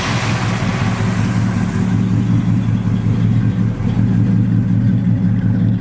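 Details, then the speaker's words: 1940 Ford pickup with restored 350 Chevy crate V8, 650 Edelbrock carburetor, high-rise manifold, dual exhaust, 1,700 miles on build: deep even rumble on throttle blips, clean rise and fall, no knocks or misses; very healthy engine. "Nice and smooth, nothing radical, right? No, very smooth truck, very healthy engine."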